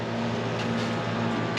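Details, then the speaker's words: 1957 Chevy small-block after the fuel pump was found wired to the distributor's feed and corrected: an electric pump gives a steady, even hum at one pitch, building about 6-7 psi; normal fuel pump operation. "Hey, that sounds a lot better. That sounds like a Holly pump."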